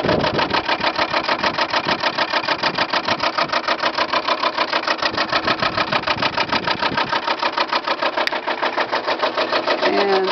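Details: Lennox heat pump outdoor unit in wet, cold weather: loud, rapid, evenly spaced clattering as ice on the fan blades strikes the housing; defroster possibly not working properly.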